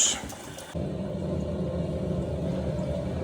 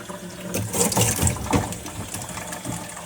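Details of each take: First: Loft cistern refilling: after a clunk, a steady loud droning rumble holds as it fills; a very loud ball valve that the customer wants replaced. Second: Toilet cistern suspected of causing a large water bill, refilling after water turned back on and checked for leaks: steady rushing and splashing into the tank with no hiss or sputter; filling normally, checking that it stops.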